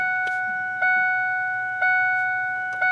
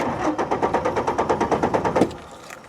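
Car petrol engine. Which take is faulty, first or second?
second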